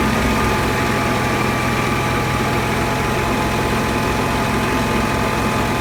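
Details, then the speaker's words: Generac Q-55G RV generator that ran then died, after fuel pump suspected as culprit, 124 V on both legs: even steady drone, no surging or stumbling; runs smoothly and hasn't died since. "It hasn't died once yet. It seems to start up real good."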